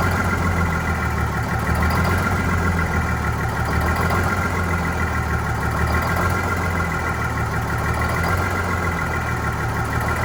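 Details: Vintage diesel bus on a very cold day, low uneven idle with a slightly lumpy, wavering beat about every two seconds; rough running after re-priming, clear fuel-line section showing air, possibly drawing air into fuel.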